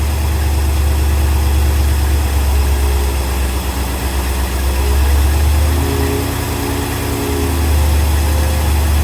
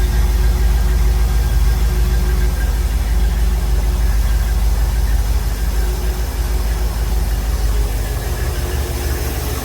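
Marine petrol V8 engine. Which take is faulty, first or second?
first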